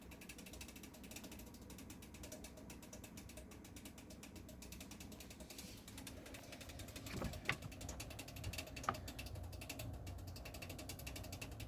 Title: PC avr clicking sounds